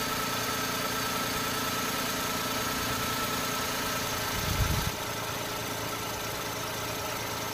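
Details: Normal idle of an Every van fitted with a Carry engine, after refitting the AC compressor belt while chasing a horrible noise: steady, even idle with no squeal or chirp from the belt area; sounds healthy.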